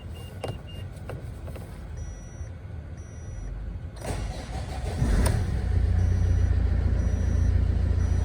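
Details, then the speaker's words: Great Wall Hover H5 4D20 turbodiesel, manual, about 130,000 km, overheating after an engine overhaul with exhaust gases in the coolant: cranks, catches quickly and settles into a steady, even idle; engine sounds fine overall. "целом двигатель работает неплохо, судя по звуку."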